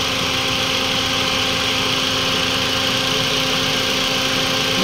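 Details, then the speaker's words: Toyota Vios 2NZ petrol engine at normal, steady idle after the fix: rough idle and stalling were caused by a vacuum leak from a brittle purge valve hose at the intake manifold. After reseating the hose, it idled stable for about an hour once warm. "So hindi na talaga Nagloko yung kanyang idle ibig sabihin doon lang sa host ng parch valve ang naging problema"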